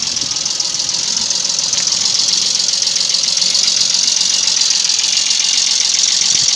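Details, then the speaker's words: Toyota 1G-FE idling with a fast, light top-end ticking knock. Valve clearances measured mostly normal, about 0.15–0.20 mm. The bucket seats in the head are worn out, so the buckets are being replaced. "двигатель отнюдь не games непонятный стук"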